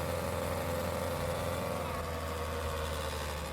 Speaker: This customer came in saying that their car is loud as hell.